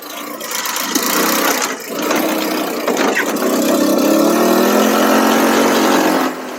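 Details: Cheap buggy's small engine during carb tuning, buzzing hard at full throttle with wavering pitch and a brief early sag; intermittent cutting out at full throttle, likely lean; owner plans to recheck the spark plug and suspects the CDI.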